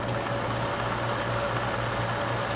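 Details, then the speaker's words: Reflecta Diamator AF type 1002 slide projector, powered up during inspection of a stuck slide changer, with its rubber drive belt looking sound: steady, even whir with a constant low hum and a faint high tone, no rattle or scrape; cooling fan running normally. "And the fan is running. That's important."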